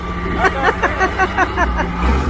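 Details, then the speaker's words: Old CAT diesel that had trouble even cranking, now running: low, steady drone holds an even beat under some outside noise, with no misses or knocks; engine runs healthy and sounds really good. "sounds like the engine runs pretty good it did sound really good"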